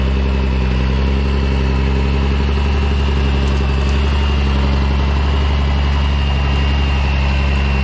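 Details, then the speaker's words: M35A2 military diesel truck, started right up after sitting long (a disconnected wire found): steady even diesel rumble, firm low beat, no knocks or misses; runs really good, everything works, clean; normal idle. "pretty sweet this is a nice one this thing runs really good everything works just works on it and it's clean"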